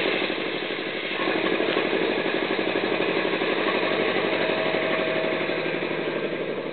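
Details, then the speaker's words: Homemade belt-driven air compressor with PLC control and new turnbuckle belt tensioner, started at 98.5 psi and running up to about 108 psi: steady, even thumping about four beats a second over a smooth mid-pitched drone; pumps up cleanly, healthy and fairly quiet. "gage over here it's not super loud if i had a door on there it'd be actually pretty quiet"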